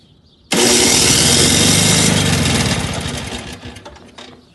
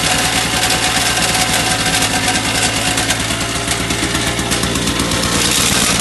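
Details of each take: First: Two-stroke snowblower at its first start of the season, on electric start with choke on and primer pumped: the starter spins the engine steadily for about three seconds, then winds down with no firing. It cranks but won't start; owner plans to remove the carburetor. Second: Two-stroke snowblower with improved paddles, started on choke and primer, clearing shallow snow: a busy, even small-engine putter under load with no surging or stumbling. Running normally and throwing better than before.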